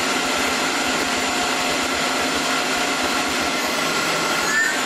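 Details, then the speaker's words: Tormach PCNC1100 mill, new spindle with new bearings just installed replacing a 3-year-old one that howled/whined, running at low RPM: smooth, even whir with no howl, rising whine or knocks; spindle sounds healthy. "I just turned it on for the first time and I kind kind of forget how bad the last one sounded but this sounds beautiful"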